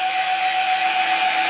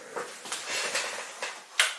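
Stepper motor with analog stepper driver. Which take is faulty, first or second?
second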